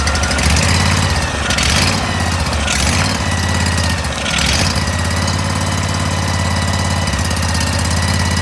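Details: Cub Cadet 1440 tractor, Briggs & Stratton engine, after a carb cleaning, airbox off; fires cleanly, surges and settles into a steady, slightly rough run, choke working properly.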